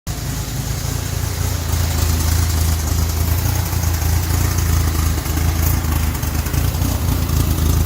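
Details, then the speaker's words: VW 1600 turbo air-cooled engine after installing a new turbo carbon seal and tuning the progressive carb: steady, even thrum at constant speed without misfires, knocks or rattles; running well though belt destroyed on test run. "Yes, I destroyed the belt on my test run, but sounds good. The old Progressive's working."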